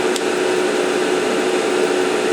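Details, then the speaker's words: ALC60X argon laser head, about 195 hours, run just under 10 A tube current, bore heat sink about 120°C, about 85 mW output: constant rushing air with faint steady hum, no rubbing or wobble; cooling blower healthy, blowing warm air. "Yeah. Now we're getting, you know, hotish air out of the fan. So, that's good."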